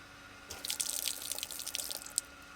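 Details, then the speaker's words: Garden tap after fixing its drip, water on with the pump kicking in: after a brief pause, steady hiss and splash of flow with no drip or chatter while air purges from the system. "It's just purging all the air from the system now."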